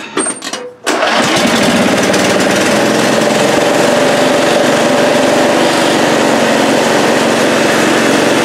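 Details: 1998 Briggs & Stratton V-twin that bogs at full throttle, running during spark test on one cylinder; loud steady buzz with faint whine, spark confirmed on the sooty-plug side, the other cylinder suspected not firing.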